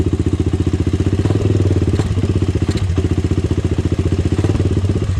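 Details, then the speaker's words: Honda 400EX quad, first start after new starter brushes replaced worn-out ones: even, steady thumping single-cylinder idle with no knock or valve-train clatter; bottom end and top end sound healthy. "yeah it sounds like the bottom end is okay i mean i didn't hear any knocking or anything i didn't hear any valve train noise or anything unusual so i think we might be good to go boys"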